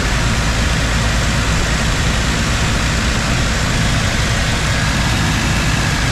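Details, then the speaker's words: 1995 Jeep Wrangler YJ four-cylinder, just fitted with 4-hole Ford 19lb injectors and new O-rings: steady, even idle with smooth low rumble, no misses, ticks or hunting; no leaks, engine healthy. "No leaks, and it runs good. I revved it a couple times off camera."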